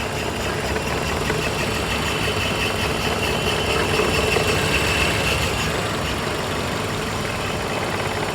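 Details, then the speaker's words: Scion xB idling with P0300: car shaking, rough, uneven idle with a sporadic puh-puh stumble, about three per second; cause was a failed cylinder 2 ignition coil pack, and re-gapping plugs didn't cure it. "what's up everyone so the other day I went to leave my house to take my mother-in-law to Dallas Airport and my car started doing this so it's shaking a bit it's a it sounds like it's doing something weird"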